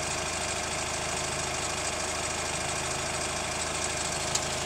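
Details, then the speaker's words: Hyundai ix35 CRDi 136 hp diesel, warm after a short drive, heard from the wheel side: quick uneven crunching knock over the diesel clatter at hot idle; owner suspects hydraulic lifters or the chain tensioner, which goes away briefly after oil changes. "Ну вот я крутанулся, погрел движок, звук появился. Если бы я поездил дольше, то есть он был бы еще ярче, но в принципе и такого должно быть слышно."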